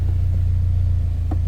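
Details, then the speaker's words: Turbocharged Subaru BRZ after throw-out bearing replacement, idling with the clutch pedal pressed: steady low rumble with no squeak or chirp; new release bearing runs quiet and smooth, the old one believed to have been seizing. "no squeaking and it actually feels really good I feel like that the other one was definitely getting seized up and I could definitely feel it on the pedal itself cuz this one actually feels really smooth"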